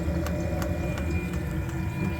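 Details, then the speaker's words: Diesel-fired coolant heater for a garage floor-heating loop, starting with coolant around 61–62°F. Steady low burner rumble ramping up with fuel pump clicks about three a second. Complaint is short cycling without reaching high return temperatures. "the heater starting to ramp up a little bit"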